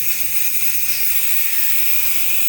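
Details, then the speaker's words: 2018 Audi A8L on jacks, compressor off, valve block being replaced: black (driver's side) air suspension line disconnected, loud steady high hiss as a lot of air dumps and car settles; line venting pressure. "That's a lot. Wow. I can feel the car coming down. I do have jacks on it. That is a lot of air."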